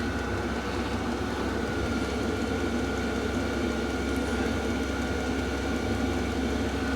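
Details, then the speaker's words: Cheap Vevor diesel heater in a workshop shed, pump in full mode and ticking, output accelerating up after start-up with some normal start-up smoke outside; even whirring hum with steady fan tone, no knocks or surges, running normally. "right so that is the pump now in the full mode the pump is still working I can hear that ticking over and now we're starting to get output starting to accelerate up again"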